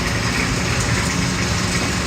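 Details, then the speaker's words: Rebuilt Kelly Duplex 3-ton horizontal paddle mixer: even, steady churning with a low drone, no scraping or rubbing from paddles or bottom, nothing dented or bent; running normally. "There's no scraping or rubbing. Nothing to indicate that anything is dented or bent."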